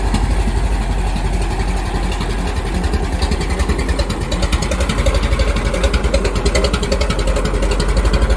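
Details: Restored 1921 American LaFrance fire engine after its finished restoration: a slow, even four-cylinder chuff with distinct regular pulses holding steady; it is idling smoothly and healthy.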